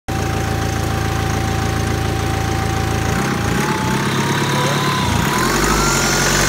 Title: Cold engine knock 2012 520d 60k miles